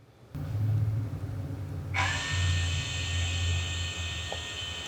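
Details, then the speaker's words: 2017 Harley-Davidson Road Glide, ABS pump actuation test commanded from a diagnostic scan tool: low motor rumble then steady high whirring buzz about three seconds; ABS pump running normally on command. "pump is running and again there was an audible click for that solenoid"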